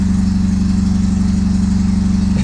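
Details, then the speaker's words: 1982 Fiat X1/9, 86,000 miles, running again during restoration after fuel injector replacement: steady, even low rumble at idle with no misses, knocks or ticks; engine runs smoothly. "i don't know if you can hear any of us over the rumble of that car but she's running now"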